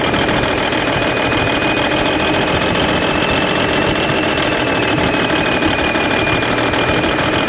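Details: 1991 Freightliner, Cummins NTC-365 with bad throttle lag, fed from a fuel bucket bypassing the ECM cooler plate: ragged uneven beat with faint high whine, running rough and sounding worse; fuel delivery problem likely, exact cause unclear.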